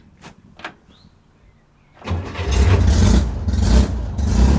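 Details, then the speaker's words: Air-cooled car on its fourth hot restart after a repair: two sharp clicks and a pause with no cranking, then it catches and runs. The solenoid engaged but the starter got caught up. Starter clicks and hesitates on hot restart. "Whoa. The solenoid actuated the starter, but seems like it got caught up."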